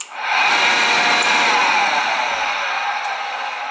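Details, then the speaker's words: Oil-fired boiler burner that wouldn't fire up, not heating the house: steady burner roar with harsh raspy hiss, no rhythm; technician says the motor sounds bad, needs another motor, more than pump whine. Suspected, not confirmed. "motor sounds like it's about needs another motor ain't good at all he says the thing was making noise but that's i think that's a little bit more than pump wine it's not sounding too kosher"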